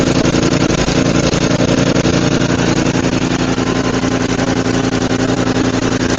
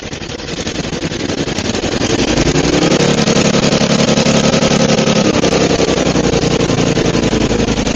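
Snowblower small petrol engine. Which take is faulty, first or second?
second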